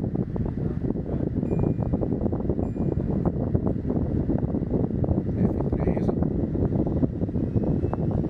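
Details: LG portable air conditioner fan on its top speed setting (F3); steady, even rush of air with no knocking, scraping or whine, normal fan noise.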